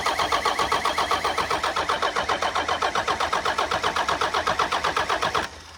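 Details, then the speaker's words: 1993 Dodge W250 with intercooled Cummins diesel, reportedly 120,000 miles, first start attempt: even starter cranking at about four beats per second for five seconds with no firing; cranks but won't start, two injector lines getting questionable fuel. "The other 2 that had fuel coming out of them are kind of iffy. So we'll crank her over a bit more."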